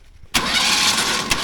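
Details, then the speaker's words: Pulling tractor after Waterloo breakage, spark plugs out, cranking to prime oil through the line: sudden harsh starter whirr with a metallic ring and no firing; the starter's sound is disliked, cause not confirmed. "That's I don't love the way that starter sounds, but crank on it just a little bit."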